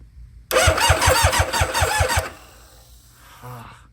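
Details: Nitrous Hayabusa barn-find drag bike run from a starter box: slow, labouring crank at about three pulses a second for under two seconds, then dies without firing; starter box running flat suspected, not confirmed.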